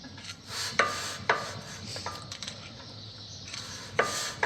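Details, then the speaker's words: Toyota RAV4 rear brake job, new disc, parking brake adjuster wheel backed off a few notches after biting: soft intermittent scuffing as disc is turned by hand, shoes just kissing the drum; handbrake correctly adjusted. "So you can just hear it, it's just making contact."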